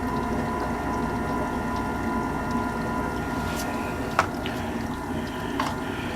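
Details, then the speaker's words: American Standard gas furnace after about 45 seconds of burner run, blower kicking in: smooth constant hum, light steady tone, few clicks; clean blower running normally, filter due for change. "got a nice clean blower there"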